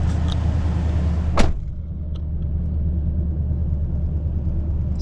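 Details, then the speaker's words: 2011 Nissan Titan Pro-4X 5.6 V8 after a spark plug change: the engine starts cleanly and settles into a steady, even idle with no misfires and no error messages. "smooth no error messages no misfires"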